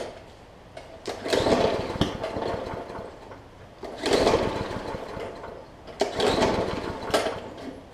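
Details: Briggs & Stratton OHV (plastic carb) Hyper Tough push mower that sat over winter with water in the fuel: three pull-start cranks with sharp pops that never catch. Water is likely on the plug too; fresh fuel and heavy priming are the fix.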